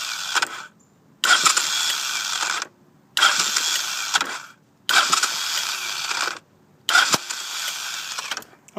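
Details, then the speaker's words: 1983 Honda VT500C with 1985 carburetor: repeated two-second starter bursts with whirring, ratcheting sound, engine not catching; owner suspects blown starter clutch, possibly its springs, starter motor gears fine; starts well when it cranks properly. "I'm going to try to get the sound and maybe one of you guys can help me out so here we go see I mean if I get a good crank on it it starts great but I I can't get the thing to start you know good enough here we go again"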